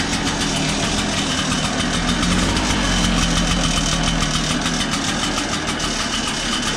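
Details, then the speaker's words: Backpack blower with low power, after scraping out carbon: loud steady two-stroke roar with strong airflow, no sputtering or bogging; runs with full power after carbon cleaning. "so so as you can hear it runs pretty strong now after cleaning out the carbon"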